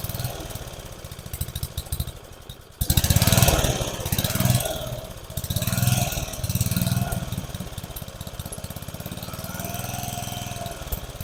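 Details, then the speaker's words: About 30-year-old family lawn mower, small single-cylinder, temporary fuel tank: putters unevenly, swelling and sagging every second or so instead of holding speed, acts like it's starving for fuel; carburetor suspected, not confirmed. Engine surging, running rough. "Alright guys, so it acts like it's starving for fuel. Probably need to play with this carburetor a little bit."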